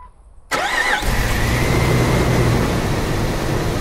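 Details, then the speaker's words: 1996–2006 Jeep Wrangler TJ/LJ 4.0L straight six after a fuel rail heat shield install, started with the fuel rail emptied: brief starter whir, quick catch, steady idle. Normal start. "Wait a few seconds, turn the key on, wait a few seconds till the fuel pump stops running, turn it off. A couple times like that, and it should crank right up."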